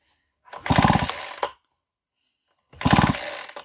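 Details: Nearly new two-stroke chainsaw with a fresh fill of fuel and oil will not start. Two recoil pulls spin it freely with only soft, weak puffs and no firing. Spark is confirmed at the plug, so this is cranking without starting from low compression.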